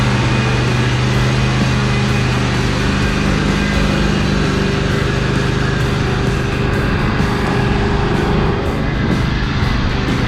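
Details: John Deere L120 mower after brake-clean through carburetor, coil wiring and valve checks, sat over winter: steady small-engine drone at constant speed without stumbling; running healthier, less black smoke under load.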